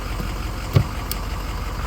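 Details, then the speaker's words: 2005 Ford F350 6.0 diesel idling after replacing a plugged, restricted hydroboost line that caused pedal hissing and brakes locking up: brakes applied, good pressure, no hiss, one dull thump; no brake booster hiss at idle. "no hissing sound, so that plugged line did fix this."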